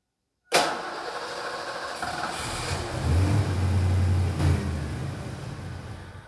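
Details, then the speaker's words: Abandoned Mustang GT starts, runs roughly a few seconds, then dies; owner suspects the fuel filter sock is clogging with tank dirt. "that you no weird it died let's do it again"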